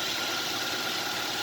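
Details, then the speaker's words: Used car, engine checked with window open: smooth, even idle with a steady, regular tone and no ticking or roughness; normal idle. "mesinnya juga nadanya itu teratur gitu kalau ini kan halus begini halus"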